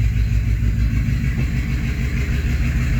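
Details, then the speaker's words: 1985 Chevrolet K20 V8 winter truck just fired up after a new exhaust with long muffler, idling in a closed two-stall garage at about 72-74 dB: deep, loud, steady rumble, even pulse, no misses or backfires; normal but loud idle. "so yeah she's loud um I mean little back to the car I mean it'll be noticeable it's a winter ride"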